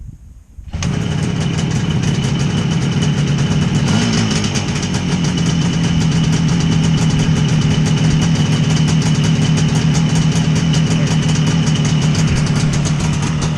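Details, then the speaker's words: 1967 Bridgestone GTR 350 two-stroke after engine and crank rebuild, clutch adjusted, 5,952 miles, cold start at about 45°F: fires first try and settles into a crisp, even idle with steady beat, smoking, no knocks or rattles; normal start and idle. "right up smoking nice got the clutch adjusted that's be pretty good"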